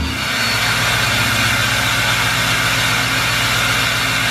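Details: 2020 Duramax L5P diesel pickup with a tune, cold start: loud, harsh idle with a rough hiss and rattle over steady diesel clatter; the variable turbo actuator has failed.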